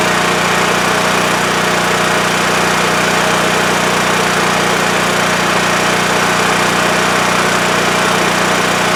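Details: WEN TF1450X 14500W tri-fuel generator after repair of a 20-second shutdown with spark loss: steady, even drone at constant speed, no surging, misses or dying off; now runs normally, display shows 232 volts.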